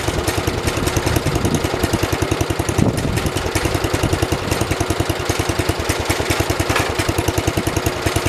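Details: 1973 112 tractor, Kohler K301 single-cylinder, after head gasket replacement and valve adjustment (8 and 17): even, firm, regular idle thumping with no misses; purrs, normal idle.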